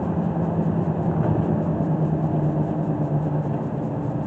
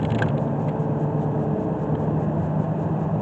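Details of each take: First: 2014 Toyota Sienna V6 van on a road test after new front brake pads and rotors: steady low road rumble and even tyre hum from worn, formerly overinflated tyres, with no squeal, scrape or grinding under braking; brakes sound normal and smooth. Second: 2014 Toyota Sienna van test drive after new front brakes and rotors: steady low road roar and hiss from about worn-out tires, overinflated with bald inner edges.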